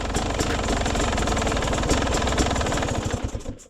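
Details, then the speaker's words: Beta 300 two-stroke dirt bike with SC2 Smart Carb, cold start around 5°C, not yet at running temperature: ragged burble after a small throttle blip hangs, fades and stalls; owner notes a bog right from the bottom. "and then it dies out and one of the biggest things I've noticed is I have a I do have a bog right from from the bottom them in"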